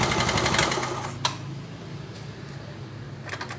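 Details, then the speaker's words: Yamaha Mio Soul scooter, hard to start despite a new carburettor and engine work: fast cranking with sharp backfire pops through the carb. Combustion fails and it won't start; the ignition is suspected. "tembakan dari karbu itu apa dia nembak-nembak kawan dia tidak mau hidup tapi dia nembak-nembak pembakaran gagal nembak balik"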